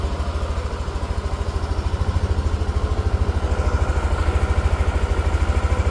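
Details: Yamaha NMAX Neo S on Castrol Magnatec 10W-40 oil, cold engine after about 30 hours unused: even, steady single-cylinder putter, regular low thumps, no knocks or rattles; normal cold idle during warm-up.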